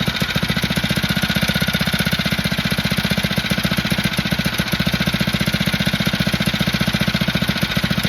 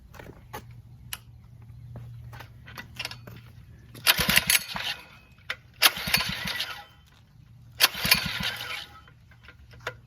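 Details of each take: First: Phatmoto motorized bike small engine after an upgrade for poor idle and 40 mph top speed: rapid, crisp, evenly spaced pops holding a steady beat with no stumbles or misses; now idling normally and working great. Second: Phatmoto motorbike with known motor and carburetor problems (poor idle, top speed capped at 40 mph), cold start on full choke with plans to drop to 1/8 choke: three short pull-start sputters, it coughs but won't keep running. Hard cold starting.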